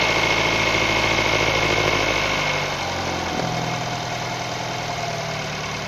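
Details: 2012 Nissan Tiida, HR16 four-cylinder petrol, automatic: busy chain-like rattle at idle, about three to four beats a second, persisting after the timing chain, tensioner, rails and sprocket were replaced; cause still unknown.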